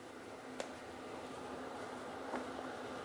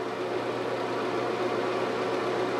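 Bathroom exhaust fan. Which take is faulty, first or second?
second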